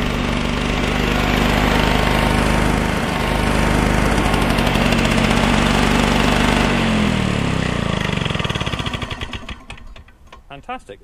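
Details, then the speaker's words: Flymo L47 two-stroke lawnmower (25:1 mix), came in as a non-runner, started on choke: buzzes unevenly with a ragged beat, then sags and stutters to a stop; owner suspects the carburetor jet, may replace the carburetor. "Fantastic. It's not running 100% right. I've got a feeling it's that jet, but I may invest in a new carburetor for it if I can't get that jet out."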